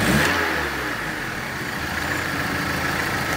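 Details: Volkswagen Polo 1.6 petrol with complaint of lifter noise and stalling when put in neutral: smooth even idle with a light rev, no ticking or clatter; a vacuum hose leak was then found.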